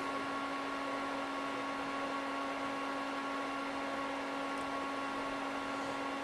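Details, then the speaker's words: HP 6002A 0–50 V bench power supply after fan repair using parts from a dead unit, loaded up to about 24 V, 3 A: steady airy rush with constant low hum, no rattle or rubbing; cooling fan runs cleanly. "let's power it on and see if it's fixed so far so good sounds like a fan instead of death"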